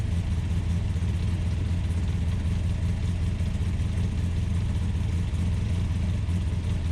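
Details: Ultima GTR with an American V8, started on a jumper pack and warming up, temperature gauge reading only about 60 degrees though fans pulled hot air: deep, busy rumble held at a fast, steady idle, no drop-off; idling high.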